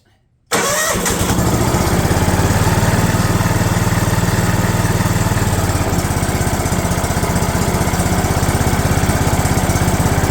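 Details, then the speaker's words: DR all-terrain mower, Kawasaki FV420V engine, first start after sitting for years: fires and runs loud, raspy and uneven on choke amid heavy smoke, dumping fuel from a disconnected hose; briefly ran without choke. "it ran y'all probably noticed but it's dumping fuel out of a hose"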